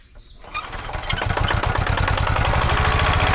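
Quick crank, then the diesel catches and settles into a steady, even clatter of about four beats a second; healthy start.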